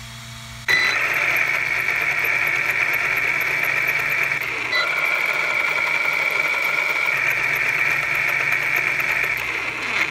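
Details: Losi Lasernut U4 RC truck after straightening both bent drive shafts, not perfect. Steady high electric whine with no knocking or catching; drive shafts running normally.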